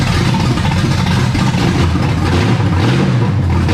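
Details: Camaro V8 after setting the timing with a new battery, the distributor cap installed and old plug wires, with timing advanced a little: a deep, strong roar held at steady revs with slight swells, no ping or stumble. Normal revving.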